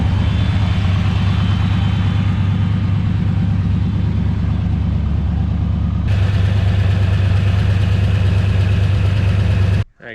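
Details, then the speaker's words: Turbo LS 5.3 V8 in a go-kart at idle after harmonic balancer replacement, noise unchanged: loud, low idle with an uneven beat about three a second; owner suspects piston slap, rules out rod; metal later found in the oil. "guys, so we got the new balancer on there, but it's still making the noise. So I'm gonna fire it back up for you guys. I want you to hear it."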